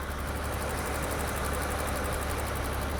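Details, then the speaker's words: V12 BMW E32 750iL on its first road drive after sitting six years, after only a general engine service: smooth, even idle with a soft steady rumble and no knocks, misses or ticks; not overheating, though slight black smoke remains; normal idle. "the engine is not overheating it sounds good"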